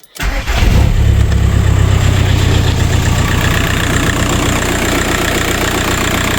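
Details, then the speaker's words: VW Passat 35i with PD150 TDI conversion, first start after turbo replacement; brief crank, fires at once and settles into even diesel clatter with no whistle or siren. The old bad turbo's woo-woo siren is gone; normal idle. "Good. Sounds alright. Well, that's that. I've done it. Turbo's on. It sounds good. I've lost that woo woo noise."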